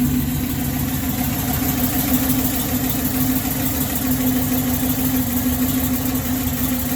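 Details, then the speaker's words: LS-swapped 1965 Impala SS with lowered stance and long-tube headers. Lopey cam idle with a light tick that began after scraping the exhaust on a driveway edge; a lean-condition code appeared at the same time: exhaust leak. "you can hear that tick in the idle that started right after i scraped the exhaust on on the edge of the driveway so that's right when that started to happen"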